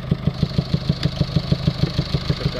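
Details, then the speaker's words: Late-2019 Mercedes Vito diesel taxi with P300A7A low-pressure EGR flow fault and cracked DPF: steady idle with deep whooshing puffs, heavy breathing noise at intake that owner says began after DPF cleaning; cause unconfirmed. "he's explaining how this this noise this heavy breathing sound coming from the engine wasn't there before he had the DPF cleaned"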